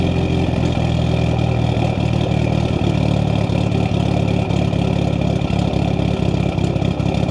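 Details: Built Mitsubishi Evo 8 with Kelford 272 cams, after replacing the failed IAC with a 2000-up Eclipse unit and a richer idle tune. A deep, steady idle with a rhythmic lope and slight unevenness: the typical choppy big-cam idle.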